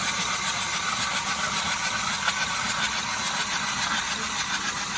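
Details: Hyundai i20 after the 2024 floods: the starter spins the engine at an even rhythm but it never catches or fires; crank no start, with hydrolock suspected.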